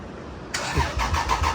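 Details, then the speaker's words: Lexus IS300 on the first start after an engine install, fuel pump primed several times: even starter cranking with compression pulses about six a second, and the engine never catches. Crank, no start; cause not yet found, EWS immobilizer suspected. "it's turning over by the key, which is 6, so now we just got to figure out why the hell it's not firing yet."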